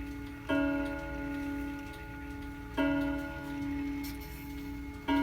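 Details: Hammond electromechanical mantel clock after servicing, unplugged with the mainsprings needing a bit of winding. Even bell-like strikes come about every 2.5 seconds with a steady tick between them, so it runs cleanly.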